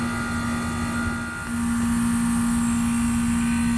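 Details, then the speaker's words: Trane compressor, 5.5 amps, suction pressure 35: steady low hum with fan rush, no knocks or rattles. Running smoothly. "But at least she's running. That's a feat all by itself."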